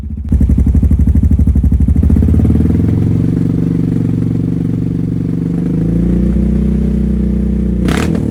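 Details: 2022 Honda Rubicon with full HMF performance exhaust, first start after about a week in an unheated garage, still cold; deep, even exhaust pulse settling into a steady, throaty, clean idle with no knocks or rattles. Normal idle and revving.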